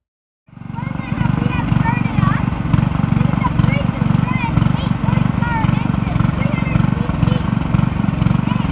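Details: Briggs & Stratton 8 HP 300cc side-output-shaft engine from a rusty blower, fitted with a homemade throttle linkage: starts and settles to steady, even putter, no misses or knocks; running healthy.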